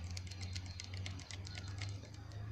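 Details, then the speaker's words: Toyota Soarer MZ21 7M-GTE fuel injector, removed and pulsed on bench with cheap cleaning kit after 12+ years clogged: sharp irregular clicks over low hum, not opening cleanly, still blocked. "No, that one's still blocked."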